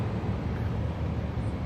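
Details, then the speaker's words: Suzuki Grand Vitara HVAC blower motor that had stopped working, running after repair with the battery on a charger; steady even low whir, no rattle, squeal or wobble, running smoothly, though ideally the motor would be replaced. "sounds really good slow it down yep I'm looking fine"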